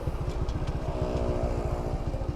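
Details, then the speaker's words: 2009 Yamaha LC135 (Lexur 125cc) single-cylinder, restored after sitting three years, riding under load: coarse, rough, shaky low thrum; abnormal vibration of unknown cause, bike also loses power at high rpm, still needs battery and spark plugs. "you guys can actually hear the freaking vibrations that's how bad the vibration is"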